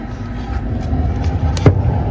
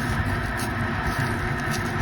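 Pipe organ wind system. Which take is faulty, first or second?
second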